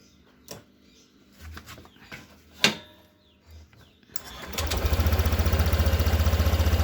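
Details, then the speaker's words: Honda Vario 150 scooter with a complaint of dying when throttled on morning cold start; fuel pump tested good at about 40 on the gauge; after handling clatter the engine fires and settles into an even, steady beat, no stumbles; normal. "Dan bila mesin kita nyalakan, motor ini tidak ada permasalahan, normal-normal saja."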